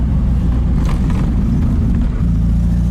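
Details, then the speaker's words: 1965 VW Karmann Ghia, in for electrical repairs, pulling in third gear around 30 mph: a deep, even, slightly throaty rumble under load with no knocks or misses; the air-cooled engine sounds healthy. "But this car, yeah, she goes. And it sounds nice. It's not loud, it's got a little bit of throaty sound."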